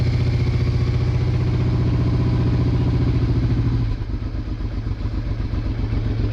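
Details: Honda Hawk GT/Bros 650 V-twin just started after fuel tap turned on: steady, even thump at about 220 beats a minute, no misses or knocks; both cylinders firing, healthy idle.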